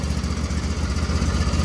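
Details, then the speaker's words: Auction riding mower with 116 hours, which sat outside. After just a new battery and the fuel already in it, it fired right up, giving an even, steady low thumping idle with no misses or knocks, running normally. "only thing I did to this mower was put a battery in it already had fuel in it it fired right up and it runs pretty well"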